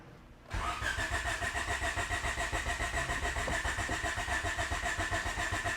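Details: 88-91 Honda Civic EF hatchback with B17 swap during OBD0 multiport injection conversion wiring: starter churns in even pulses about four per second and the engine never catches; cranks without firing, no fuel delivery.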